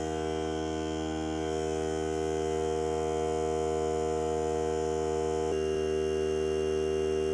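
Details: Hart cordless battery air compressor filling the tank: even, steady electric hum with stable pitch and a small click near the end at cut-out; three minutes to fill, cut-out at 120 psi; normal run to cut-out.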